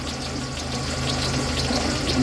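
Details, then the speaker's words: VAZ 2112 warmed up at idle with unstable running: dry whirring hiss over the engine and slightly uneven beat; noisy timing belt idler pulley bearing needing replacement, crankshaft pulley also wobbling. "немножечко как будто подстраивает это у нас шумит обводной ролик ГРМ ремня ГРМ"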